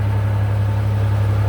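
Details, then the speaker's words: 1990 custom Ford Bronco II at idle: a steady, even low hum at a raised idle with no knocks or pings. Owner attributes the high idle to a vacuum leak he has not yet found. "I do have a vacuum leak because it runs high idle, and I have yet to find it."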